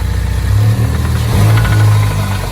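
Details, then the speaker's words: 2015 Ford Mustang 2.3L EcoBoost at idle, oil drained: faint repeating low knock on a steady idle, like a rod knock or a chicken in the top of the engine; owner suspects rockers/lifters or a rod bearing, unconfirmed. "it sounds like a knocking like a rod knock or a chicken in the top of the engine"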